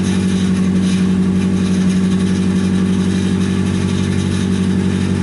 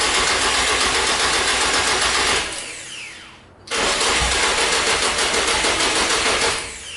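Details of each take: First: Nissan 240SX S14 after SR20DET engine swap, first start once the loose fuel pump plug was fixed: steady, even idle with smooth low rumble, no knocks or misses, warming up while bleeding coolant air. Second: Nissan 240SX S14 with swapped SR20DET, after starter replacement: starter cranks steadily about four beats a second in two long tries, engine never catches; fuel pump unplugged, not priming.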